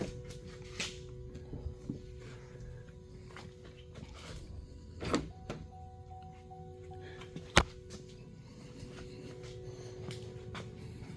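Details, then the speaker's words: 2017 GMC Denali 2500HD after replacing a failed hood latch that had disabled remote start: steady soft chimes inside the cab with a few handling thumps as the hood is raised, the hood-open warning now working normally. "now you hear the ding, hood open. That's the first time I've seen that come up since I'd had the truck."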